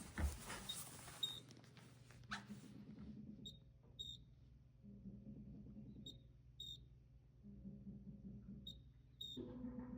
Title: Frigidaire chirping noise ￼